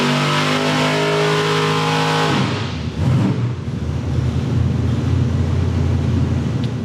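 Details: Brother's Ford engine on dyno, full pull aimed at a clean run through the RPM range; engine screams to high revs then note breaks up ragged and uneven near the top; high-rpm miss, possibly valve float or a leftover dyno RPM limiter setting.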